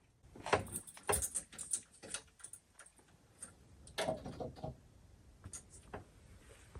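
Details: 1966 Jaguar E-Type OTS Roadster being prepared for first start in over half a century: a few sharp fuel pump clicks at ignition-on, then quiet as pressure builds, after float bowls were tapped free of overflow; normal fuel pump priming.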